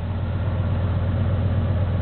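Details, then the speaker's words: 1977 Chevy K10 with a carbureted 350 V8 at 8°F, about 30–40 seconds after a cold start, with low oil pressure: a deep, heavy idle is dragged down when the clutch is let out by cold, thick transmission and transfer case oil. "yeah I'll uh let out the clutch again see how much it pulls it down"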